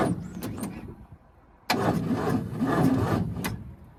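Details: 1942 Ford 200ci cranking after 20+ years idle, premix fed in to lubricate the top end, starter apparently original from 1965: slow, labored cranking in short bursts with brief ragged catches; weak starter struggling while the engine tries to fire.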